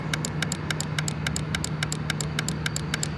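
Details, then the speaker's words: 2006 Mini Cooper S supercharged, engine compartment fuse box: crisp clicks about 3.5 a second as a relay chatters and pulses with nothing operating, then stops; relay felt warm, car hard to start. "something is clicking in here but it's like nothing is happening and then it stops which is very odd"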